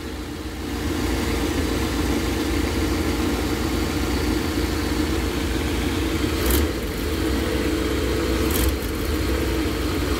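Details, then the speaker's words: V8 just started after head gasket replacement, cold: smooth even idle with steady low hum, no ticking or knocking, quieter than before; owner suspects an exhaust leak on one side; normal idle. "so far it sounds quieter and i don't hear any knocking"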